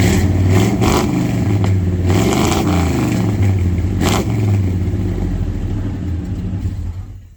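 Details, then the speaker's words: 1990 Chevy K1500 4WD V8 after new exhaust and tailpipes: lopes unevenly with surging revs and stumbles, then dies away, like running out of gas, not a plug or wire issue; owner suspects low fuel pressure starving the engine. "now that we got the exhaust squared away we need to figure out why this motor is running like garbage and when I say garbage I really mean it and it's not a mess like a plug or a wire it it's like it's running out of gas"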